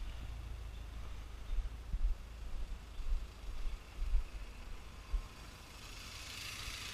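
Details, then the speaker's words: One-owner 1991 Alfa Romeo Spider, 39,000 original miles: low, soft, even idle outdoors with no knocks, misses or ticks; running nice and smooth, no issues. "obviously brake works good but stick you out here you could hear just running nice and smooth"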